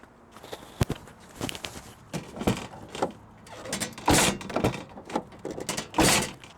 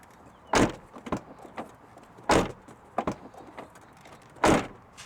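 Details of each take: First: SUV rear hatch slammed shut: heavy thumps, each followed by a tinny rattle from a metal license plate frame that is fully tightened, also damaging the paint. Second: Lexus GX460 cargo hatch after fitting a silicone license plate frame: three solid dull slams, each ending clean with no metallic buzz or rattle. Plate rattle fixed.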